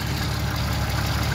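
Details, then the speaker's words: 1992 Jeep Cherokee engine idling with a low, regular knock underneath and a misfire, felt at the bottom of the oil pan; worn rod bearing, engine being replaced. "you can feel smack in the bottom of the oil pan ah and the engine just shat itself"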